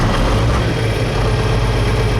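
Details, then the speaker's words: Engine at first start of the day after an oil change and steering arm replacement, not cold at about 80 degrees out: deep, steady, even idle with no tapping or rattle, oil pressure good and no idiot lights on. "there it goes oil pressures good no idiot likes going on"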